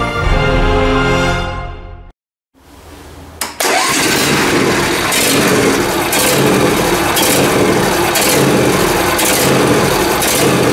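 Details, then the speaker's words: John Deere Z355R zero-turn mower with Intek engine, started at idle after fuel filter changed and fuel pump confirmed flowing: idle swells and sags about once a second, a hunting surge that began recently with cause unknown. "A surge. It's got a weird surge. I don't know why it started to do that. It just sort of started the other day."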